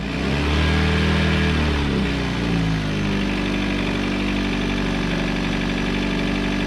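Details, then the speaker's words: Chevrolet Cruze with open aftermarket intake, idling: droning hum wavering and sliding in pitch, loud resonance from the PCV system or under the valve cover carried into the intake. "what's basically happening is the pvc system is making a sort of resonating noise or something's making noise under the valve cover that's going through the pvc system into the intake it's very loud"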